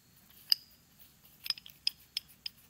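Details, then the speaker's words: Monarch 10EE lathe compound, disassembled: sharp hollow clacks, about six in three seconds, as the worn compound lead screw nut is rocked by hand, roughly 0.025–0.030 in of backlash, same at both ends; screw fine. "if you can hear that is really really sloppy so i probably had oh i'm gonna say um 25 30 000 uh slop in this uh this nut"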